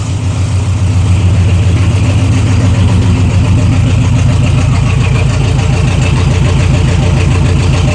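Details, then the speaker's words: 1966 GTO V8 after electric choke hookup, slight timing adjustment and leaning mixture for more vacuum, throttle lifted slightly: deep steady burble, about three and a half pulses a second, no misses; exhaust note sounds healthy. "That sounds pretty good. Well, it's ready for the road, but not really taking it on the road."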